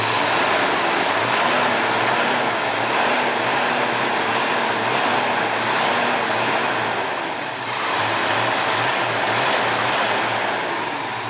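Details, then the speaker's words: 1972 Ford Mustang 429 Cobra Jet V8 with mild cam: steady even idle with mild lope, no knocks or misses; idles nicely and sounds healthy. "Okay, like I said, I don't know how good the mic is on this little camera, but you know, she sounds really good. She idles really nice. Not like some of those really low-B cams. It's really pretty mild."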